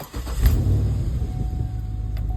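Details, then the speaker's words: 2011 Cadillac Escalade 6.2L V8 with AFM, 178k miles, after Marvel Mystery Oil, Sea Foam, AFM disabler and freeway pulls, day two afternoon start: smooth even idle with no ticking; previously stuck lifter apparently freed. "I think I did it fellas I mean I'm still crossing my fingers that it's going to hold and the noise is not going to come back but I think I unstuck that bad lifter"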